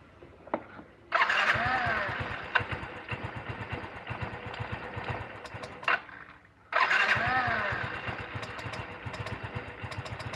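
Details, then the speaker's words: Scooter after engine overhaul and new air filter, previously lacking power and dying off throttle: fires, then slow uneven putter about three beats a second and stalls; idle speed set too low, needs adjustment. "kan gasnya telat Oke sudah bunyi teman-teman motornya tinggal nyeting angin-anginnya saja"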